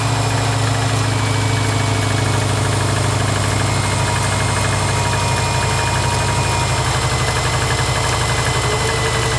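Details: Subaru Forester petrol engine idling with a low, rough knocking rhythm under the engine note.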